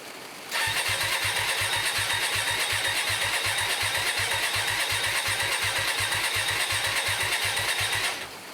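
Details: Hyosung 125cc V-twin restoration bike standing two years, carbs cleaned, on choke. The starter spins it at an even rhythm for about seven seconds without firing: cranks but won't start.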